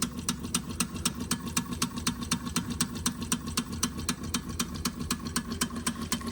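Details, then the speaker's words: Wilesco D6 toy steam engine fired by old, crumbled solid fuel tablets, possibly giving a low flame; soft even exhaust chuffs about four a second, slower than it should run, would go much faster with two new tablets. "I used the the solid fuel tablets and most of the solid fuel tablets I had in there were quite old. And so it's it's quite possible that the flame's quite low because I know if you put two brand new tablets"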